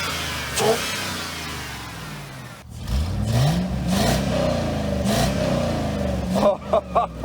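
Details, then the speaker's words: 1967 Pontiac Parisienne V8, after confirming ~58 psi fuel pressure, spark and compression; several quick revs, pitch climbing and dropping cleanly with no miss or rattle. Sounds healthy, though owner suspects an occasional cylinder 6 misfire. "we got this thing purring a lot better."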